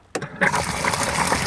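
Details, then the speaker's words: Bass Tracker Pro Team 175 TXW livewell aerate pump switched on: a click, then steady water gush into the well over a smooth pump hum; working normally. "okay so if you have it on the timer it obviously will go on for a few minutes and then it'll kick off"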